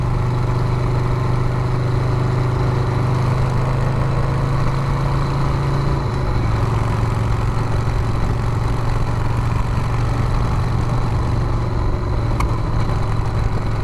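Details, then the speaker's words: Harley Sportster bobber project on its first test ride, held at low RPM. Steady V-twin thrum, then one sharp pop back through the carb. The rider suspects it is running lean, since the choke can't be turned fully off. "Right there, you can hear that carb got a backfire."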